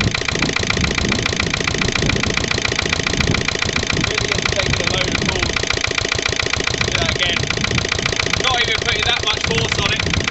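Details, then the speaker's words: Lister LD1 single-cylinder diesel on a chilly morning, after a fuel filter change and bleeding: an uneven, hunting thump at about 214 beats a minute, with heavy smoke. Runs rough; owner suspects a missed bleeding step in the fuel system. "it mean that's not good at all that created a bit of a um a bit of a smoke screen that anyway s clearly isn't right with the old"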